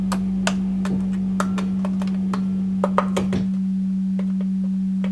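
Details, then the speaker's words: Heavily gigged Marshall JCM800 Lead series guitar amp on the bench; steady low hum with irregular sharp snaps, crackles and pops that tapping a valve stopped, then returned. Intermittent crackling, that valve suspect. "Tapping this valve here cured that snap, crackle and pop noise instantly. It's come back again now. So that valve's suspect."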